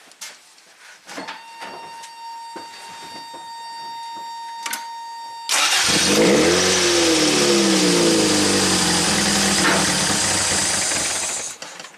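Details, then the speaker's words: 1987 Toyota MR2, hot stalling complaint, scope on distributor pickup: starter whirs, engine catches and revs, settles into a rough run, then stalls hot; suspects distributor G signal too weak when hot at low rpm, computer not suspected; unconfirmed. "so when hot at low RPM that signal could be getting a little too weak and boom the car sells out at high RPMs signal is strong enough we have no problems"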